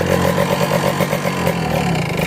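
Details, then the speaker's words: Kawasaki Ninja two-stroke with worn HSAS reed membrane: idle pulses about six times a second with the HSAS air intake blocked by hand, holding idle; unblocked it won't idle and dies; worn HSAS reed membrane. "E enggak mau langsam kalau yang HS hsnya udah parah E membrannya membrannya itu dia gak mau langsam kayak gini nih susah langsamnya"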